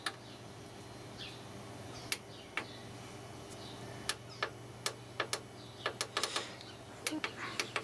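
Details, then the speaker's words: Lilin DVR hard drive (won't support 40 GB drives) running: low steady platter hum with scattered seek ticks, spinning without getting stuck; normal hard drive spin and seek. "shall we hear the hard drive going that's spinning but it's not getting stuck any news"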